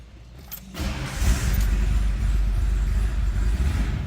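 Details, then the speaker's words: Cold start of a 1930 Ford Model A street rod pickup, in neutral: short crank, catches right away and settles to an even, steady low idle with no misses or knocks; normal cold start. "That was a cold start. I wouldn't expect temp to be up."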